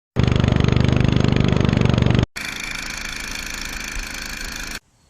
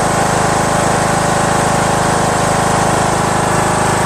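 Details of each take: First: Craftsman LT2000 19.5HP lawn tractor twin engine before valve lash adjustment; fast, sharp ticking keeping time with the engine from loose valves/rocker arms, clicking at front. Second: Craftsman LT2000 19.5HP lawn tractor engine after valve lash adjustment, which fixed the loud running and front clicking; smooth, even idle with a regular pulse, no clicking, no valve cover leaks.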